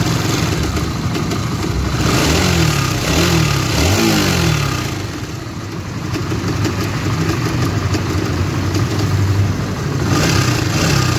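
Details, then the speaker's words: Honda GTR motorcycle engine idling and blipped: a rough, rattly clatter rides over the low beat; the mechanic attributes it to the cam chain tensioner, a common GTR/Sonic/CB LED fault, and the fix is replacing the tensioner. "itu tadi ya guys Suaranya sangat kasar biasanya untuk permasalan seperti ini adalah bagian sensionernya"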